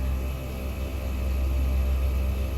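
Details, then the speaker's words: ARB dual-screw compressor on a 2012 Dodge Ram 1500 filling a roughly three-gallon onboard tank with the engine running: steady low hum, constant motor tone, even fill; likely 100% duty cycle, fills faster than a home compressor, slightly quicker with revs. "this thing fills faster than my home air compressor and it has a hundred percent duty cycle"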